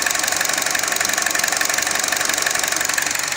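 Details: 2012 Chevrolet Cruze 1.4 L RS (codes P0171/P0443, intermittent stalling) at idle, purge valve hose disconnected: loud, even hiss over a light regular pulse, about two per second; vacuum leak through a stuck-open purge valve.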